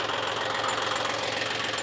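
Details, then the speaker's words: John Deere 5105 diesel tractor after full engine repair for overheating, right after first start on one crank, no smoke: steady even diesel clatter with no misses or hunting: normal idle. "मान गए गुरु। कहना पड़ेगा genre को लाजवाब firing"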